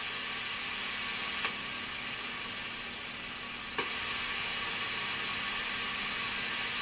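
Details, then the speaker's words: 1982 Bally Midway Robby Roto arcade PCB under repair: constant hiss with two sharp pops and no game sound on channel two, blamed on a bad Astro sound chip, while channel one works and the game is playable. "there's just no sound on channel two but it is playable with the bad astro kid chip it's trying you can hear it"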